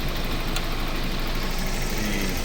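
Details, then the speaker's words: Toyota MR2 at idle, worn right-hand-side (passenger) engine mount before replacement: heavy low rumble with buzzy shake, cables and fins visibly vibrating, worse on the right side. "You can see it vibrating. On the cables."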